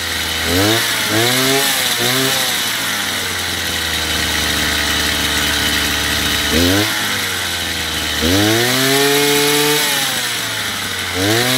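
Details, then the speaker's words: Chinese two-stroke brush cutter after carburetor adjustment, with the small screw set to about 9,000 rpm: blips up and down, then holds a clean, even high-speed whine with no stumbling. Normal running. "После того, как отрегулировали, в принципе, настройку карбюратора можно считать законченной."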